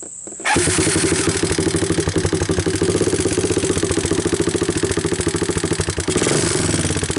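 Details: 1988 Honda TRX200SX on its cold first start with a new PZ27 carburetor, on choke with the idle turned up, camera near the valves: steady, even single-cylinder thump with light, regular valve ticking on top; sounds healthy.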